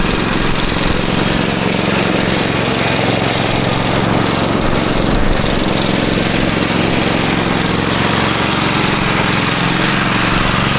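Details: Free Craftsman riding mower said not to run, but the fault turned out to be the battery; oil checked as plenty, before the fuel drain and oil change: a steady single-cylinder thrum at an even pace with no misses or knocks. Normal running.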